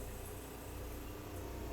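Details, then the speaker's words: Vintage camper water pump kicking on each time a faucet opens and shutting off when closed: a steady low electric hum with no surging or rattling. The pump cycles on demand normally. "Okay, pump just kicked on again. That's great. So, every time I turn on the water, uh, that pump's kicking on, which is exactly what it's supposed to do."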